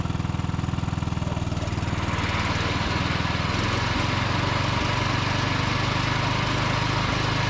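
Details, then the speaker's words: Steady, even engine note of a John Deere D110 riding mower as the deck engages and it drives off under load, no hunting or knocking, after plug tightening and carb richening; running properly. "But let's go ahead and crank it up and kick on the deck, drive it around a little bit, and show you guys how it performs, and we'll probably wrap it up from there."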